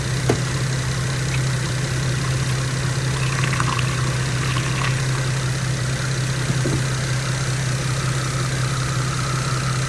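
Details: 2012 Infiniti M37x after radiator replacement, idling while coolant system bleeds; smooth, steady idle with an even low hum and no knocks, misses or hunting, running normally.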